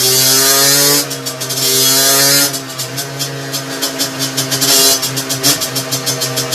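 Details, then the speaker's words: 17.5 mm carburettor two-stroke on a test bench after needle reset to correct position: crisp buzzing revs fall back to steady popping idle unaided and snap up instantly on throttle. Normal idle and throttle response. "toutefois bien réglée elle revient se ralentit tout seul"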